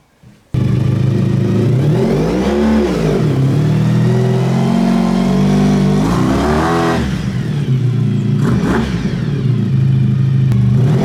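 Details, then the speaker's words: Honda VF1000 V4-powered buggy, driven to check regained power: pulls cleanly through repeated rising and falling revs with a smooth, even tone; owner thinks it runs on all 4 cylinders but isn't sure. "I don't know, it seems to be running better. It's running better. It seems to be stronger. It sounds like it's running on all 4 cylinders, but I'm not entirely sure. But it sounds a lot better."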